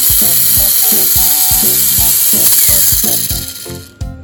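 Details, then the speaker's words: Mini 4WD FMA chassis gearbox on stock settings: loud, high-pitched gear whir with a ratchet-like rattle about three times a second, because the crown gear stopper sits on the chassis wall; strong but noisy, and unmodifiable in this class. "Tapi kuatnya itu kalau settingan bawaan itu berisik. Nah, berisiknya itu coba kita dengerin dulu ya suaranya yang di max."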